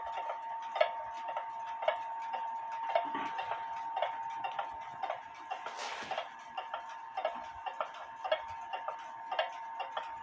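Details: 1860 Black Forest wooden-movement Schild/Surrerwerk clock with new verge bridge bushings, homemade pendulum, 1500 g weights: crisp ticks evenly spaced, a bit under one per second, no limping beat; clock in beat.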